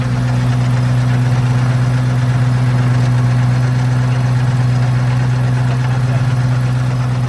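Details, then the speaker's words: FV432 APC K60 engine running for the first time in 13 years: steady, even diesel idle with a smooth low drone and no misses or knocks; now sounds like a proper K60. "It's transformed the sound of the engine already, hasn't it? Yeah, that is sounding totally different now. That's sounding like a proper 4.3, like a K60, not like"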